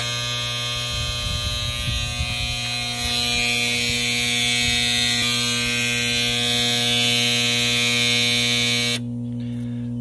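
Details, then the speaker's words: Whitewater DF series aerobic septic system: loud continuous single-pitch electric buzz for about nine seconds; high-water alarm sounding because a charred, failed timer stopped the pump emptying the tank. "dreaded septic alarm so uh that's basically telling me my uh septic water is not getting pumped out the float switch came up or there's a problem with the float switch or the there's a problem with the pump or there's a problem with the the timer"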